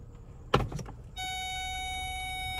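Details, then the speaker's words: 2009 Lincoln MKS: a thump as reverse engages, then a steady high electronic whine with several tones that holds on, heard every time the car is put in reverse; cause not determined. "oh my gosh that is annoying that sound is so annoying we hear that every day when we put it in reverse"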